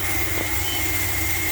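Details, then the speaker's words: 1981 Dodge B250 Ram van V8, running after years parked, carburetor needing work: steady constant-pitch whistle over a rough idle. Owner suspects a vacuum leak, will hunt it with spray, not confirmed. "I definitely hear a whistle. Get some spray out here and find that. Long as I get that found, it's going to run a lot better."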